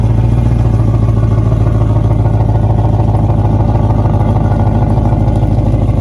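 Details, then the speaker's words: 2008 Malibu VLX boat, oil-burning Monsoon 340 replaced with a small-block Chevy 383 stroker (same cam and heads): steady deep V8 burble with even firing and no knocks or misses; normal running. "Sounds good, dude. I like it."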